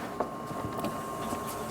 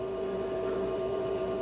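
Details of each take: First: 39-year-old Ford F150 towed in with a crank-no-start, fuel pump powered directly through a jumper wire: a faint, steady, high-pitched whir. The electric fuel pump runs continuously, yet the truck still won't start when cranked. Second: 39-year-old Ford F150, cranks but no start: constant mid-pitched electrical buzz, engine not running, while test-probing injectors; injectors have power but no control signal, noid light off; cause not yet found.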